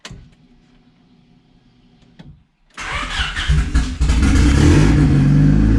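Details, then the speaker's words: Turbo D16Y8 Honda Civic on a Crome basemap: the engine starts and climbs to an elevated, hunting idle. Vacuum leak from a popped line at the idle air control valve (IACV), causing the high idle. "sounds like I got a vacuum leak"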